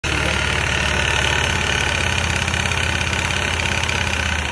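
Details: Küba Brilliant 125 scooter at steady idle: a loose, uneven rattle over the low engine thrum comes from the worn front variator; the noise was gone after the variator was repaired.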